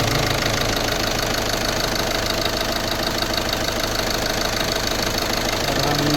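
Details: Volkswagen Polo 1.5 diesel after timing kit replacement, just started with plain water in place of coolant, not warmed up: even idle clatter with a clattery tick throughout, no misses or stumbles; sounds like a normal running diesel.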